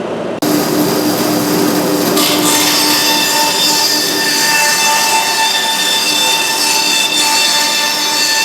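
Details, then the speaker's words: Big bandsaw after reinstalling and tightening both set screws that had backed out: steady high hiss and whir of the blade with no knocking or rattling; totally quiet, running normally. "both of the set screws in this thing that one and that one both backed out for some reason then reinstall it and maybe I just didn't tighten it tighten up yep totally quiet"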